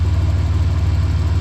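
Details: Truck just rebuilt after its oil pump failed a second time, primed and timing set, warming up while the radiator is burped: short, steady idle with an even low thump and no knocks or misses; runs smoothly.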